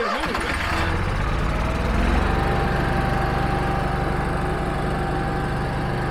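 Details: Generator never serviced in its lifetime, started right after an oil and filter service: fires then settles into a steady, even drone with constant pitch and no knocks or misses; normal running.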